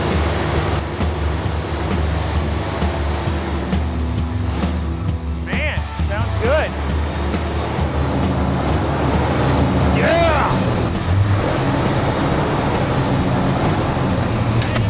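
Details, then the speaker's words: Freshly built V8 on first start after fluids were topped off and the exhaust bolted up: catches on one crank and settles into a steady, even low idle with the timing on. Normal idle. "One crank, boom, it starts, timing's on."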